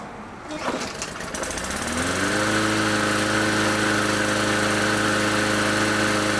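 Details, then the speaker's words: Briggs & Stratton E-series engine with plastic carburetor, after cleaning and replacing the main jet; it previously would not start, ran badly or quit. It pull-starts, revs up and settles into a steady, even drone. "Oh yeah, running just like it should be, runs perfect."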